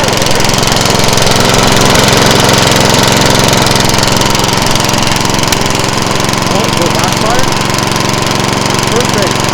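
Loud, even single-cylinder drone holding steady speed throughout with no misses, surging or knocking; mower running normally.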